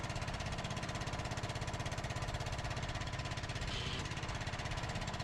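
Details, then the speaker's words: Stiga Park Senator riding mower, test run after refitting renovated hydrostatic transmission, sat dismounted a couple of months; starts immediately, even rapid chuffing at steady speed, no misses or knocks; running smoothly, normal. "And it actually starts immediately, so no problem there."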